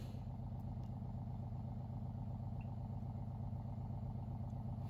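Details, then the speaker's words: Water First 5-stage countertop reverse osmosis purifier during initial setup, filtering water: a low, steady pump hum with an even pulse of about four beats a second and no rattle. Normal pump running. "It looks like, sounds like the machine is filtering water, which is what we wanted to do, and it'll be ready for our next glass of water."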